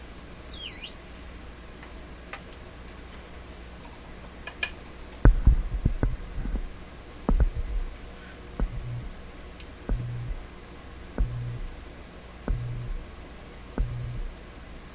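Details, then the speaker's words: RCA Victor Model 67V1 console radio, restored, final demonstration: constant low mains hum with a regular tick-and-throb about once a second; hum came from the microphone cord making contact, not the radio, which is hum free. "sounds like wwv but it's just the microphone cord making contact if i cut that microphone off volume wise it doesn't you don't hear it at all"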